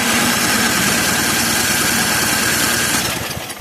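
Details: Craftsman snow blower with electric start, winter: steady whirring crank at about three turns a second with no catch; cranks but won't start, carburetor to be removed.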